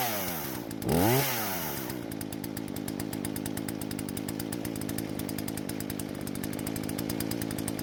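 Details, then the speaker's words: Husqvarna chainsaw that wouldn't start, after repair and carb screws reset: revs up sharply then settles to steady, even high-pitched buzz with crisp firing; runs cleanly as it should. "so it seems like the gamble paid off and the chainsaw is working just like it's supposed to now"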